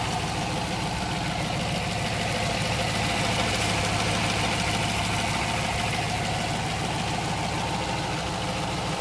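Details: Idling engine with a steady knock of roughly three per second over the rumble; the banging's cause is unknown.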